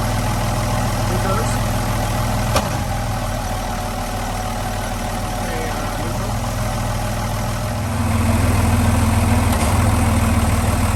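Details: Boat with Velvet Drive marine transmission, heard at idle: a single sharp clunk when shifting into gear, then the note deepens under load; suspected old engine mounts, unconfirmed.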